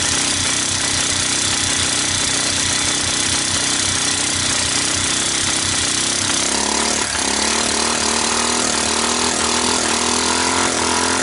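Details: Fire-damaged Kawasaki Bayou 300 single, previously 60 psi compression, started on ether starting fluid; loud harsh clatter, then revs climb as it is gunned; owner suspects the engine is worn out with no compression, valves seem to seal.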